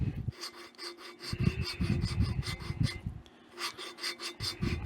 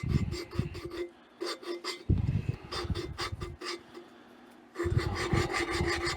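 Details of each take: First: Waterloo Boy 5 hp engine valve lapping during assembly: gritty rasping scrape in back-and-forth strokes about once a second as silicon-carbide-like compound grains crush while the valve is oscillated on its seat, signalling a finer finish. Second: Waterloo Boy 5 hp engine valve lapped by twisting and oscillating with compound: gritty rasping about four strokes a second as grains crush, signalling the seat is nearing a fine finish.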